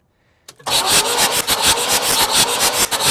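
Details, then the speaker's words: 1969 Buick Riviera GS, not run for about 30 years, cranked on the starter with fast, even pulses and no dragging. A finger-over-plug-hole check found good compression, about even across cylinders. "okay sounds like it's turning over pretty good come out here and get you a whiff of this smells like a celery"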